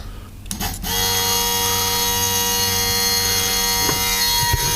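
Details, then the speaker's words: Audi A3 with an added electric vacuum pump, tee'd into the boost gauge line: after a click it settles into a steady high whine with a fine buzz, pulling a solid 28 inHg with the bleed valve closed; normal running. "pump is down there pump is running so vacuum we have a pretty solid 28 in hd inches of mercury"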